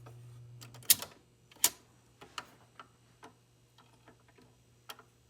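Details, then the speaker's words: Vintage GE automatic stereo record changer: soft motor hum, scattered clicks and sharp clacks as it cycles and drops the record into the lead-in guide track, working properly. "And it drops perfectly in the guide track. Now it drops in the guide track, so you have a little intro so it doesn't automatically hear music."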